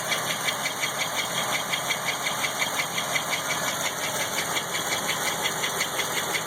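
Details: Unidentified ticking from a Chevrolet LT1 engine at idle with a couple of small revs. It is a regular, fairly even metallic tick around three per second, riding high over the idle.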